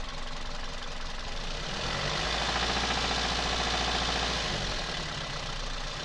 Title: 1zz-fe стук в двигателе. часть 3